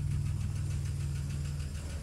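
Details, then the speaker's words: 1992 Plymouth Voyager, cold, newly running after a fusible link replacement and an oil change that showed burnt-smelling oil and metal shavings. Low idle with fast light top-end tapping over the rumble, called fuel pump tapping; cause unconfirmed. "just so you can hear there's that fuel pump lovely tapping sound"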